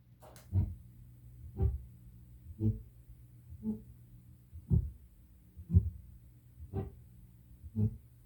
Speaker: Uh I would say it is a defect in bulk erasing the tape. Usually people call it spokes. You see it happens once every revolution of the tape. So it's like a spoke of noise on the tape.